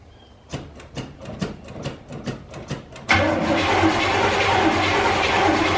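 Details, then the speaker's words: 1984 GMC Sierra C25 3/4-ton, 454 big-block, sat 19 years: steady starter cranking about 2.5 turns a second but no start. No fuel reached the carburetor; the old pump held only old gas and was judged bad. "so we kept spinning it over never could get fuel to the carburetor so we determined it's more than likely this fuel pump is bad"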